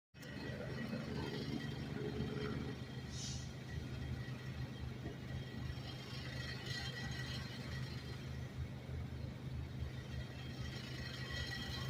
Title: Audio sample . Subaru with noisy exhaust system .